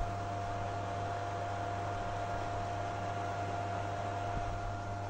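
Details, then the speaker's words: PS3 console, noisy vibrating sound at startup, after dust cleaning: steady rushing fan noise with thin whine and low hum; the noise comes from the worn cooling fan, which may need replacing. "tuh yang berisik itu dari kipasnya ya jadi nanti kita akan coba bongkar kipasnya"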